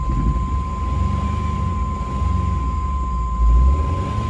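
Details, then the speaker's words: Chevy S10 four-cylinder with a cylinder 2 misfire, just after new spark plugs and wires: uneven, lumpy idle with a steady miss. The owner suspects the coil or bad gas; the check engine light is not flashing, and the clutch throw-out bearing is also noisy. "ah we're missing it's missing pretty bad now i don't know what's going on i hope it's not the coil dang it"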